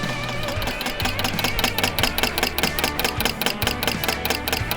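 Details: Barn-find MG TC engine, first priming in 40 years: electric fuel pump ticking crisply about twice per second after cleaning corroded points, gradually slowing as the carbs fill; normal fuel pump ticking, a leak found afterwards.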